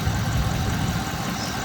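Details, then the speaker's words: 2001 Cadillac DeVille after EGR valve replacement and MAF and throttle body cleaning for P1404, idling with air conditioning on: steady low rumble, even, no hunting, stumbling or knocking; normal idle under A/C load. "running the air conditioner now see how that runs out and uh until next time"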